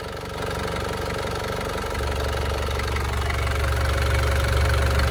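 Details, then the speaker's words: Warm Isuzu Panther diesel (owner thinks Euro 2, relatively recent) at about 78° after ring repair without replacing pistons; steady, even idle of about four pulses a second with no misses or knock, smooth because the injectors and fuel pump are still good. "Nah, yang jelas sekarang adalah suara mesinnya halus, padahal kita tidak mengganti piston, kan? Teruslah mendengarkan suara itu. Mengapa gerakannya halus dan stabil? Karena nosel dan pompa bahan bakar masih dalam kondisi baik."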